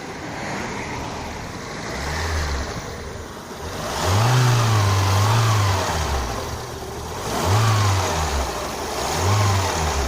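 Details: Lada Kalina 2 petrol engine warm at about 90 °C, revved: light rapid knock louder with throttle, quiet when cold, suspected hydraulic lifter but actually the alternator belt; fixed by replacing it.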